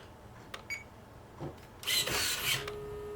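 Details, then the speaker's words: WFly X9S transmitter set to digital servo type driving a normal analog servo in an RC boat: a thin, steady buzz as the servo hunts and can't find center; setting servo type back to normal fixes it. "Okay, that's what it does when you run a normal servo with a digital transmitter. You can hear it buzzing, and there's no way, you can't find a center anywhere."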